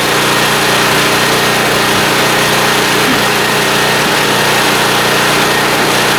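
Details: Small blue Walmart generator, about 15 years old, 110-120 V, running indoors on a lamp load, being left to run dry; steady, even buzz at constant speed with no hunting, misses or surging, running smoothly.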